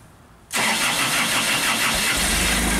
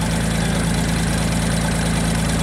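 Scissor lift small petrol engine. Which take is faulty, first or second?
first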